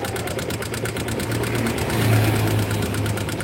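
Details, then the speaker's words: Yamaha MX engine before teardown: busy, fast loud ticking over a rough idle from loose rocker/tappet clearance, with slight pulley bearing play and a fairly hard piston knock also noted; cam chain noise not detected. "oke di sini e suara cukup kencang itu dari suara pelatuk yang mengalami kelonggaran"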